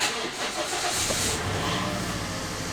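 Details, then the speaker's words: Mk2 Toyota Yaris SR 1.8, sat in a field nearly a year, with new battery: short labouring crank catches and stumbles into rough uneven running, reluctant to start; battery light on, owner suspects failed alternator. "just about, really. Wasn't exactly like, you know, starting really good."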